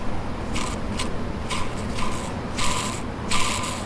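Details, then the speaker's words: C5 Corvette Z06 torque tube bearing, removed from the car and turned slowly by hand: a dry, gritty scrape about once a turn, roughly every 0.7 seconds. The bearing also has felt play and is on its way out; the torque tube is being rebuilt. "This was the reason why I wanted to take it out, because I could feel the play in this bearing, but I could also hear it."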